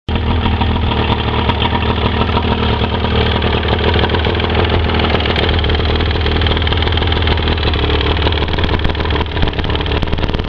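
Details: Fresh-water Mercury 115 outboard at idle: loud, rapid knocking over the engine note from piston slap, with excess slop in the number 1 piston; the noise stands out more under load.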